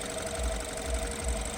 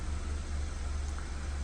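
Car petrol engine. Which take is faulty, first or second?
first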